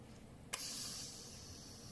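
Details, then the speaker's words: Coleman 508A single-burner stove losing pressure, heard after pumping: a soft click, then a thin airy hiss that slowly fades; air bleeds back through the check valve because its ball is seized. "So if I pump it up, and I notice that there's a hissing sound. And the hissing sound like it's coming from here, because if I release this, you could hear some air coming out."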